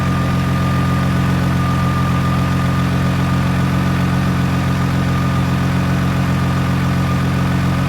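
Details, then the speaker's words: 2000 Sienna salvage auction car, mount loose, goes into gear forward and reverse: smooth, even low rumble idle with steady faint hum, no knocks or misses; running flawlessly. "but uh it's running flawless like absolutely flawless guys"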